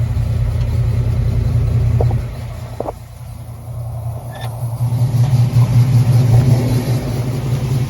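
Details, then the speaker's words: 1964 Ford Falcon V8 after tightening the loose header-to-collector bolts: deep, steady exhaust burble at idle with no ticking or puffing; the exhaust leak is fixed. "Wow. Yep, no exhaust leak now. That's how quiet that sounds out of here now."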